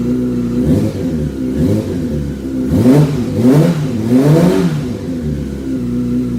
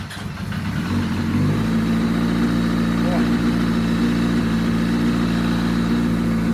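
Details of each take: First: 2005 Yamaha R6 project bike being revved after first runs. Quick, clean, even blips with no knock or rattle. It sounds normal now though it is blowing oil smoke; it sounded terrible minutes earlier, and the owner wonders if something was loose. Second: 2005 Yamaha R6 project bike run with a makeshift fuel hookup (return line plugged): it catches and settles into a lumpy, uneven idle with an unsteady low beat; it runs rough for an unclear reason, though it sounded fine on a later run.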